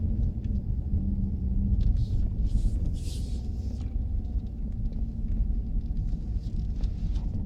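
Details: Chrysler 300 SRT Core crawling in tight circles in a car park at about 15 km/h: a low droning, rotating howl from the rear rises and fades through the turn; owner wonders if it is the rear diff or something else, unconfirmed.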